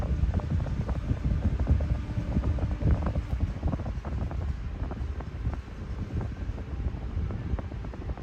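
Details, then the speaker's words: Replacement fan turned down to low at initial checkout, still throwing a lot of air; steady rush with some mic buffeting, no rattle, tick or rub, running normally. "Even on low, this thing is still throwing a lot of air."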